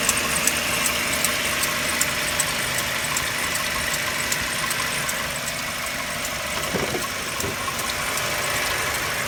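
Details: Mercedes-Benz W204 with M271 engine, cold idle: light, fairly regular ticking knock about two to three per second over the engine note; cause not identified, owner asking for help.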